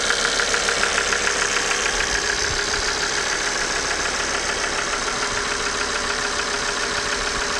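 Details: Engine at idle with a hard, even clatter of about two knocks per second; the cause was a failed oil pump.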